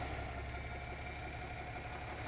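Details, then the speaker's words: Cummins Westport ISX12 G natural gas truck engine idling: quiet engine with steady rapid distinct knocking from the air compressor pumping, normal and not heard on louder diesels. "the gas engine is much quieter and you'll hear things like the air compressor when it's pumping make a distinct knocking noise we don't hear that on diesel engines because they're much louder"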